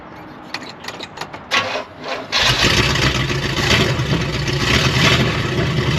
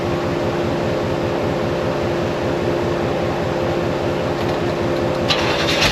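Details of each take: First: 1972 Oldsmobile 98 V8 after timing advanced about five degrees. It cranks, catches and settles into a steady even beat with no misses; firing on all eight. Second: 1972 Oldsmobile 98 revived after long storage and jump-started: a rough, lumpy idle that keeps dropping pulses, an awful miss. The plugs are slightly fuel-fouled and the plug wires are out of firing order.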